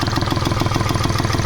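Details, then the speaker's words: Hyundai/Honda Xcent after an engine overhaul by another mechanic: uneven, lumpy idle with a loose, stumbling clatter. It is misfiring and blowing black smoke, with a bad noise. Rough idle, with the EGR valve to be cleaned with spray cleaner. "और यह इसके net मैंने ऐसी आवाज़ ए रही है बिल्कुल गाड़ी मिसिंग कर रही है ब्लैक स्मोक कर रही है"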